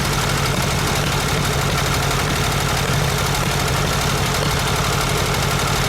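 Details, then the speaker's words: VW Super Beetle Volksrod after rewiring, on its first cold start: lumpy, uneven loping idle, not running on all cylinders, a misfire with one troubled cylinder, cause unknown, ignition or one side of the carburetor; no bad-rod knock. "definitely not running right on all cylinders not sure yet if it's ignition or if it's one side of the carburetor not doing what it's supposed to do so we definitely got a misfire"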